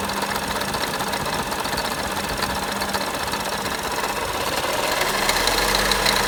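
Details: Audi A1 1.4 TFSI 185 hp at steady idle with a light, rapid irregular ticking, roughly three per second, over the engine hum; abnormal engine noise of unknown cause.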